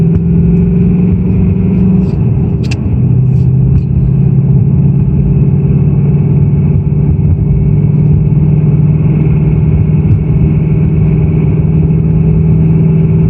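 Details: 2018 Ford Mustang GT Performance Pack Level 2 (S550 Coyote), cold start: steady low idle drone with a faint light rattle on top; owner suspects piston slap and says it is not the high-pressure fuel pump.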